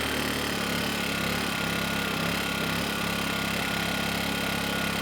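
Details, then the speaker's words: Kipor KGE 1000Ti 1000 W inverter generator, about 10 years old, surging and stalling since year 3 despite replacement carburetor, running after starting fluid: irregular wavering hum, slight speed hunting; unsteady from lean mixture. "And surprisingly, the engine kept running without adding any more starting fluid. I mean, the engine was a bit unsteady, but it seemed like it was going to keep going, at least until I turned the ec"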